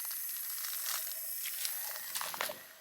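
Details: Steady thin high hiss under handling clicks as water escapes under pressure at a wellhead fitting on a 200-foot well pump system; air in the lines, pop-off valve popped, owner unsure whether freezing caused it; an easy fix.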